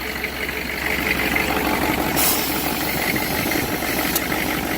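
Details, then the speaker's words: 6.5 diesel, start after about 10 s manual glow: rough idle missing on at least one cylinder with exhaust puffing and smoke; coolant entering cylinder, later found to be blown head gasket, cracked heads and cracked block together. "so those are some pretty clear signs of one of those three cracked cylinder cracked head or blown head gasket where it's got coolant has access into the cylinder"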